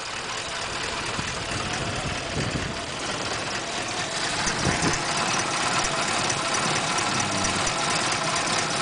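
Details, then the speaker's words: Ute idling after warm-up before its yearly roadworthy; cold nights make it cranky and shaking until warm, choke fix part not yet fitted. Steady even idle, one-piece 2-inch exhaust pipe sounds tight with no leaks. "Once it warms up, it stops shaking."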